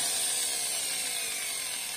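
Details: Angle grinder about 8 years old, little used, now sparking and making a loud, muffled, strained sound: a steady high hissy motor whine with little body underneath, blamed on worn carbon brushes; fixed by disassembly, general maintenance and new brushes.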